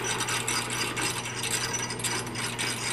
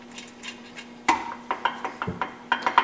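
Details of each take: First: Aftermarket three-speed tractor-pulling transmission being assembled, gears turned by hand after clearancing shift forks: even light clicking of gear teeth with steady low hum, no grinding or catching; gearset meshes cleanly. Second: Midwest Super Cub aftermarket 3-speed tractor transmission on the bench, bolts finger-tight: sharp uneven metallic clacks as loose gears rock, excess backlash before tightening and shimming toward zero backlash.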